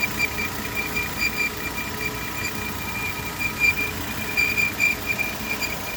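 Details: 2013 Volvo XC60, engine warm after about 15 minutes running, heard loudest from under the engine: steady high-pitched whine, slightly pulsing, not a typical loose-belt noise, present for a few months; engine compartment whine, source unknown.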